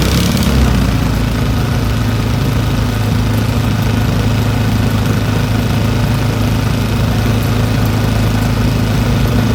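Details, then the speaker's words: Old Briggs & Stratton single-cylinder petrol engine rescued from the trash, running after opening the carburetor needle valve; steady even low thrum at a settled speed, smooth enough to hold with one hand, no misses or surges — normal running. "look how smooth that is I can hold it with one hand somebody had that thrown away"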